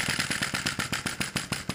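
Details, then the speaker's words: Sai Hu V1-45 flame-licker vacuum engine on denatured alcohol, run a few minutes, should turn clockwise: quick sharp pops about six a second, uneven spacing and strength while flame position is still being tuned; uneven running. "very close to the right keep trying to find the sweet spot for that fire"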